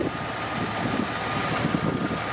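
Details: Rare barn-find Jeep XJ Limited, sat about four and a half years, just started after an oil pump replacement and left to warm up: steady, even idle with no knocks, ticks or misses at a constant level, running smoothly; normal idle.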